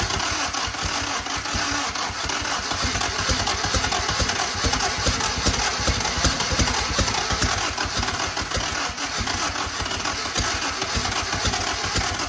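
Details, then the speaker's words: 1943 Willys Go Devil WWII engine after adjusting distributor timing. Rapid cranking chatter with a few weak firing bursts and some starter grind; it is trying to go but won't catch as the battery fades. "Got a little bit of starter grind there, so that means it was trying to go."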